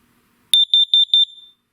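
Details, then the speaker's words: Kidde KN-COPP-B-LPM carbon monoxide alarm with peak-level meter, test button pressed: four quick, shrill beeps around 3.5 kHz, then it resets; normal self-test. "I'll press the test button. Makes these little loud beeps."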